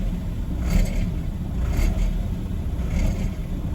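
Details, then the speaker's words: High-mileage BMW E46 318Ci, N42 engine: deep rumble with loose rattling bursts about once a second at around 1000 rpm, gone at higher revs, intermittent. Cause unknown; timing chain rattle suspected. "Anyone with experience of these engines, can you tell me what that is? Doesn't do it when the revs are up, it's only around 1000 RPM."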